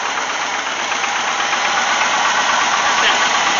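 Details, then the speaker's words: AMC 360 V8 in Wagoneer after carburetor replacement, idling with blue smoke on revving: sharp metallic tick about three times a second that cycles loud and quiet; source unknown, owner suspects lifter or rod, a friend suggested bent rod. "that noise goes through cycles where it's really loud and times when it's really quiet so i don't really know what i should be looking for on it it almost seems like a lifter like a rod or something"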